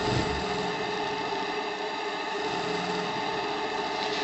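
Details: JLS 13-2 live steam engine (6.8 cc) at a little over 1 bar working pressure: light, fast, even hum with steady tone and no knocks or rattles; running smoothly.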